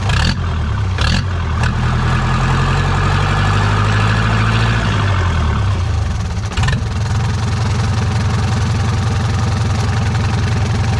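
Steady low diesel rumble settling into an even idle after a brief rev, no knocks or misses; engine running normally.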